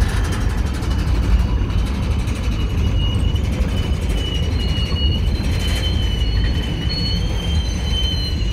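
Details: Union Pacific 6644 freight train leaving Mesa Yard: low rumble of rolling cars with thin drifting high squeal and clanging; it stopped, blocked the crossing over an hour, was fixed and moved on.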